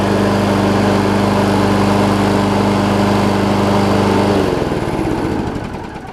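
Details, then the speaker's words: Scotts push mower, Briggs & Stratton Quantum about 6.5 hp, after carb clean and self-propel lever replacement: steady, even buzz for about four seconds, then winds down cleanly at shutdown; only a tiny bit of surge noted, healthy. "probably looks clear out of just that tiny tiny bit of surge there on it"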